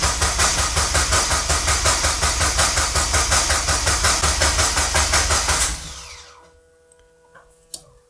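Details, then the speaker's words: Mazda MX-5 Miata engine just reinstalled, first start attempt with fuel pump running: starter spins the engine at an even quick beat for about six seconds without firing; no fuel reaching the engine because the tank was never filled. "je suis pas sûr que c'est l'essence est-ce que j'ai inversé les deux tuyaux il y a pas d'essence là d'accord il y a pas d'essence"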